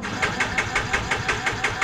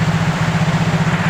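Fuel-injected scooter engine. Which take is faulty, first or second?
first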